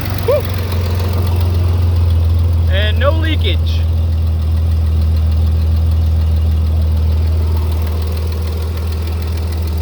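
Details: 1988 Chevy S10 just after fuel filter replacement and fuel system priming: steady low idle hum with an even, settled beat, no misses or knocks; engine runs smoothly and healthy.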